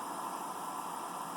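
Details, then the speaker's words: Computer power supply after a hot-glue insulation repair attempt on the coil, jump-started: steady thin high-pitched whine near 1 kHz over a faint hiss, no rhythm; coil whine no better, possibly worse. "that doesn't that doesn't sound any better in fact it may sound may sound actually worse than it did before"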